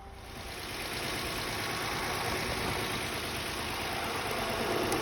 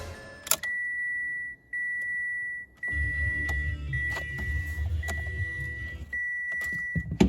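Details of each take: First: High-mileage 2017 Mitsubishi Mirage after a flooded no-start, cleared via the fuel pump fuse: steady, even engine hum settling after start-up with no misses or knocks; normal idle. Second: 2017 Mitsubishi Mirage, fairly high miles: dash chimes, then several seconds of steady cranking that never fires; owner suspects it is flooded, flooring the throttle didn't help.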